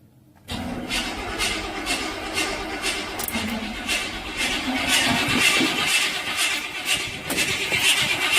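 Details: Chevy starter won't stop cranking despite remote solenoid fix attempt: starter keeps churning with steady whirring beat about twice a second, never catching or cutting out; stuck engaged, new higher-amp starter considered.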